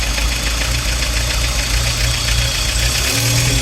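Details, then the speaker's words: Peugeot Boxer auto-sleeper camper engine hunting at idle while the auto choke is on: uneven idle surging and dipping with an irregular stumble, drawing in lots of air and eventually cutting out; owner suspects failed MAP sensor. "crazy noises actually running not so bad but it closely anyway it tries to cut out and it does eventually cut out."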